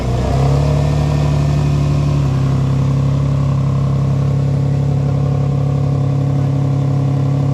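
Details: 2003 Nissan 350Z before starter replacement: brief harsh grind while cranking, first noticed after an oil change, then the engine catches and settles to a steady idle; starter suspected, then replaced.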